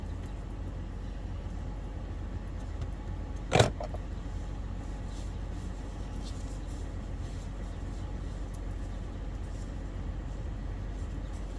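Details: 2015 Toyota 4Runner 4.0L V6 (1GR-FE) just after oil pressure switch replacement, started to check for leaks and the oil light; low, steady, even hum with one brief metallic clink, no knocks or misses: normal idle.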